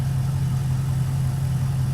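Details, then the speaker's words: Lean misfire: low, uneven idle that sags and wavers as if about to stall while oxygen sensor readings go completely lean on the GTO under picoscope testing. "so this is exactly what's happening on this engine right now oh which sounds like she wants to stumble out there and die look at that they just went completely lean"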